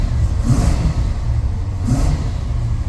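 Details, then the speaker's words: Chevy square body dually with 454 V8, after O2 sensor replacement, warming up and still running slightly rich, low on fuel; two quick throttle blips rise cleanly and fall back to idle, more responsive without bogging. Normal running. "It seems a lot more responsive without bogging down."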